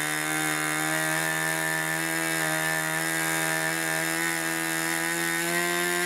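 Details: 1980s Irvine 40 MkII ABC glow engine with twin-needle carb, 10x6 Master Airscrew prop, 7% nitro and 20% oil fuel, on its first run: a steady high buzz at even revs with a soft, burbly edge. The needle is set rich and wants leaning.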